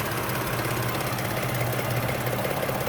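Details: Toyota Sienna at idle with a light, fairly quick ticking about three times a second, slightly uneven, coming and going for months; a pulley or the top end of the engine is suspected, unconfirmed.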